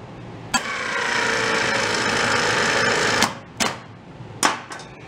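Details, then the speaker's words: Starter motor on the bench from a barn-find Amante GT kit car with stuck 1.8L Porsche engine, off the road since the 70s; lazy three-second whir, spinning noticeably slow; shaft needs bushing support or armature may contact internally. "Oh, it doesn't sound good though. She sounds slow."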